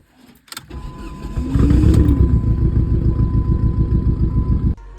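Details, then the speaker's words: 2005 Subaru WRX that had been popping and then suddenly ran far worse on the drive home: engine catches, then runs lumpy with an uneven chug of about three pulses a second; a stuck injector was pushing fuel, causing the misfire. "the car just started bugging, started running way worse, horrible, and I'll throw some videos in here so you guys can hear that."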